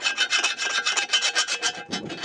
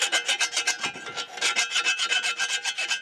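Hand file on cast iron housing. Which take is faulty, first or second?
first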